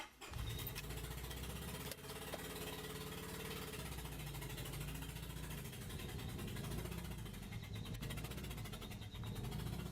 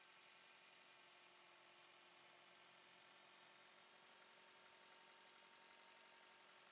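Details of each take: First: Mitsubishi Colt 4-cylinder petrol engine idling rough and uneven on only 3 cylinders, a lumpy stumbling beat; misfire with OBD code P0301 on cylinder 1. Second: Four-cylinder engine idling smoothly with an even hum and no stumbles. This is after fixing a P0301 misfire: swapping coils moved the misfire to cylinder 3, so the ignition coil was at fault, and coil 1 was replaced.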